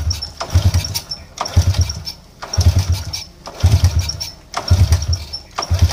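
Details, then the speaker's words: Motorcycle hard to start and sputtering when it runs, surging and dying back about once a second and catching unevenly; weak, small spark traced to a faulty spark plug. "Oke susah hidup dia punya masalahah susah hidup dan bila hidup dia semput semput"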